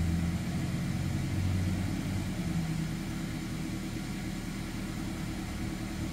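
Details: 2011 Mazda 3 2.0L at idle after starting, while testing a DIY-repaired TCM: check engine light on but no AT or traction control light; smooth low hum, revs held high longer then slowly settling, steady idle without misses or knocks.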